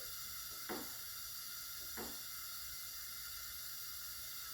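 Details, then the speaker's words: 1970 Porsche 911T 2.2L flat six, removed from the car, during a leak-down test on one cylinder: 90 PSI in, holding 85 (about 5-6% loss); steady airy hiss from the vent breather with the engine stopped; air leaking past the piston rings. "so we can feel not coming out of the exhaust not coming out of that cylinder's intake but I can actually hear it coming out of the vent breather"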